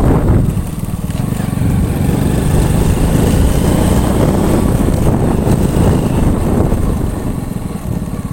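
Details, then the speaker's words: Honda Astrea Grand single-cylinder, hot, road-tested after combustion chamber repair, valve and cam chain checks for a rough head noise when hot; steady even putter, no rough tapping from the head. "Nah untuk suara mesin tetap adem anteng ya untuk suara mesin tetap adem dan anteng tidak ada suara kasar lagi di bagian headnya"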